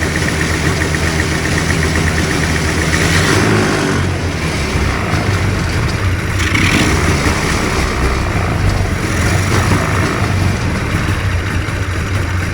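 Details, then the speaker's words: Two-stroke hovercraft engine, newly fitted coil, carbs sorted, primed and started in the shop, buzzes at a fairly even idle, rising slightly as it warms, no stumbling; normal idle. "That's what it's supposed to run like. I'll let her warm up for a bit."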